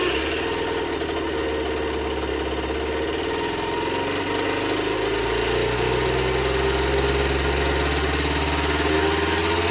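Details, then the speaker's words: Generic Trigger SM 50cc two-stroke with a stiff temporary throttle cable: fast idle that creeps higher on its own over ten seconds, even with the fuel-pump port blocked by a finger. Owner suspects an air leak, later found at the intake manifold; jets were also blocked. "I think she's got an air leak. Yeah, I think it's got an air leak somewhere."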